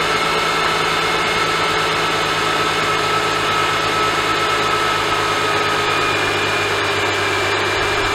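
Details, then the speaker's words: Mercedes-Benz M272/M273 in an S211, cold start after replacing the oil pickup tube O-ring: smooth, steady idle with no rattle a few seconds after start. The O-ring caused the earlier cold-start rattle; normal after repair. "I don't know if you can tell on the last clip but on cold start there was no more uh rattle a couple seconds into the start so that's a good thing oil pickup tube o-ring was the cause of that one"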